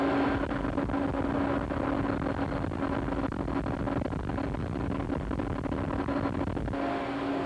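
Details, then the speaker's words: Petroleum coke pulverizer mill driven by a 300 horsepower Siemens Allis motor, heard at the gear reducer: steady, even drone with a constant mid-low tone and no knocks or grinding; normal gear reducer running. "At this time, we'll take a listen at the mill so we can hear it in operation. Sound of the gear reducer."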